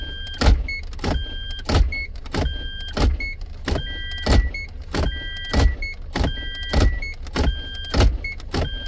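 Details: Toyota MMT semi-automatic gearbox with fault P0810, clutch actuator already repaired twice and tested in clutch graph mode; short electric motor whirs about every 1.3 s with the car still, current -19 to -20 A, suspected stiff clutch release bushing rather than a faulty actuator.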